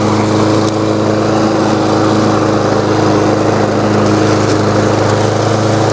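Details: New Lowe's M230 163cc self-propelled lawnmower cutting tall grass in mulching mode at next-to-highest deck setting (about 3.5–4 inches): smooth, steady drone holding firm while cutting, no misses or surging; running healthy.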